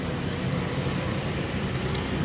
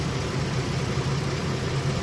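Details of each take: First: 2012 Mazda 6s 3.7 Duratec V6, just reassembled after water pump and timing chain service, idles with a loud raspy low rumble and hiss; the exhaust leaks at the flex pipe joint because its gasket is missing. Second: 2012 Mazda 6s 3.7 Duratec V6, warm after half an hour of running and bleeding the coolant, idling smoothly with no ticks or knocks following water pump and full timing chain service; the earlier grinding was air in the power steering.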